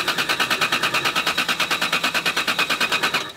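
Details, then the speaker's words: 1993 Toyota Supra, push-button start: even starter churn about three beats a second, never catching, then cuts off; cranks but won't start, fuel smell present, suspected lack of fuel or ignition. "it sounds like it's not getting any fuel yeah or ignition I smell fuel"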